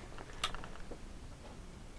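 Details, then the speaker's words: Samsung PS43D450 43" plasma TV, no power, blinking red LED: relay clicks on and off with transformer ticking, zero volts out; Y-main plugged in, X-main bus disconnected; supply trips, Y-main most likely failed (buffer boards possible). "ticking from the transformer. Relay just clicks on off zero volts out from it."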